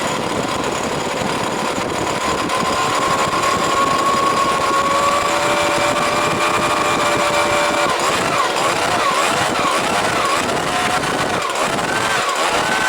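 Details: Stihl SH86C two-stroke blower, first start after complete rebuild with aftermarket coil; high buzzy note wavers and hunts unevenly, gas sprays into carburetor when purge bulb pressed, carburetor probably needs rebuilding.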